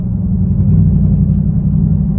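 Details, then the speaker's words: Dodge Challenger Scat Pack; deep lumpy rumble with uneven pulsing instead of smooth V8 burble, sounds like a lawn mower; rough running, cause unknown, car being towed. "sounds like a lawn mower like it's so bad i'm going to be returning it"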